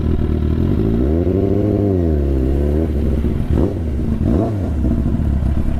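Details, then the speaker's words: 2001 Katana 600 restarted on the reserve petcock setting: the idle swings and sags nearly to stalling. The idle is set too low after the carb was tampered with, and the bike is probably nearly out of fuel with no fuel pressure. "She's having a hard time idling. I gotta turn the idle up slightly. That's what I get for tampering with the carb, see?"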